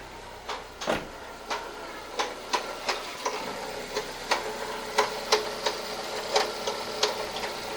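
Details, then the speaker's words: Car engine running with the oil-change service light on: sharp, uneven ticks about three a second over a quiet engine; knocking noise with misfire reported, source unknown. "O carro tá fazendo barulho no motor."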